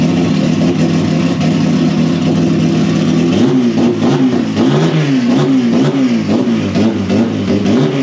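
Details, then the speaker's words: First start after cylinder head work, new manual timing belt tensioner fitted and timing verified: even idle then crisp rising and falling revs, clean strong exhaust note, no rattles; healthy. "That sounds really good out here. She is so fast. That sounded gnarly out here."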